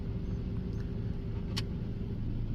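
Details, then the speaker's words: Dodge Neon fitted with a 2002 auto air control valve, idling in park with the air conditioner on: quiet, steady low hum with even tone, no hunting or stumbling; normal idle. "It's sitting here idling in gear. I mean, it's sitting here idling in park with air conditioner on."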